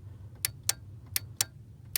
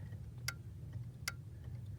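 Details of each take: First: Ford 1998-04 power door lock module, output disconnected: five sharp, crisp clicks over a quiet hum from a healthy relay switching with good contact. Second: 1998–04 Ford power door lock module, output disconnected: the lock relay gives three soft clicks without a firm, crisp contact, while the unlock relay switches crisply.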